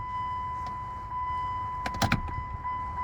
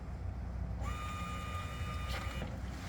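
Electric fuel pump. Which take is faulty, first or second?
second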